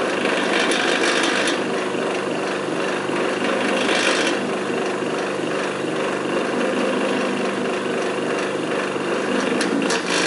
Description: Bad bearings in an old Magnetek electric fan motor.